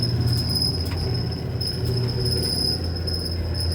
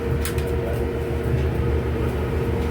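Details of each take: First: Older Whirlpool Cabrio dryer running: a steady piercing squeal, described as shaky and squealy, over the low tumbling rumble, from a worn idler pulley (W10547292) bearing. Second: Whirlpool Cabrio dryer running after idler pulley (W10547292) replacement; steady low rumble with faint even hum, drum turning smoothly with no more squeaking or grinding.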